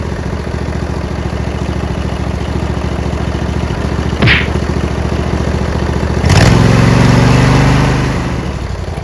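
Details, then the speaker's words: Briggs Intek V-twin on a Craftsman LT1000, after the sump gasket repair and an added governor spring, with fresh SAE 30 oil: an even low beat near 214 per minute, one brief rev rise that settles, and no surging. The governor holds speed. "Finally, oh my goodness, I added a spring, so that stopped the surging."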